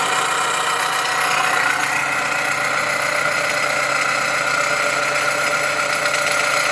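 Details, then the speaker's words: Idling Dodge Avenger/Journey/Chrysler 200 engine, mic near alternator: steady rough whirring and hiss with faint uneven pulsing; vibration felt at alternator, not A/C compressor, pointing to noisy alternator bearing. "Pues de volada sacas que el problema viene de la del alternador y se escucha Precisamente en la parte esa de"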